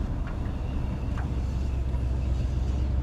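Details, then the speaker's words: Ford Ranchero small-block V8 after fitting the Holley 650 carb taken from the Mustang, running under load while driving: low steady rumble under road noise with no misses, stumbles or surging, no engine shaking; smooth running on its first successful drive. "You know what, dude? This thing runs so much better right now."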